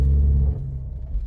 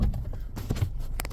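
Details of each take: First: 2014 Ford Escape (engine unknown), customer feared a transmission problem over noise reversing and turning; accelerating forward: deep, loud, rough rumble booming as throttle opens then easing off, engine thumping the chassis; broken engine mount. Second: 2014 Ford Escape after the fix, backing up with wheels turned: low smooth rumble, no thumps, shudder or violent movement; engine steady on its mounts, normal reversing with no clunk.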